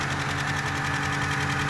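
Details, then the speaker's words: Ford Capri XR2 (turbo) after head gasket job, first start and warming up: fast, even valvetrain clatter over steady idle, whole motor sounds loud; top end likely dry until oil pressure arrives, pressure then confirmed. "And the whole motor sounds a little loud, but I'm gonna let it run and see what happens."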